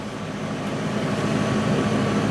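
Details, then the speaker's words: Idle of a 1997 Mercury Grand Marquis 4.6L, owner-reported slight skip at idle and low rpm, worst around 30-40 mph, no engine light; after checking O2 sensors, steady even exhaust note with low rumble, no misses; no skipping heard. "Yeah, there ain't no skipping here."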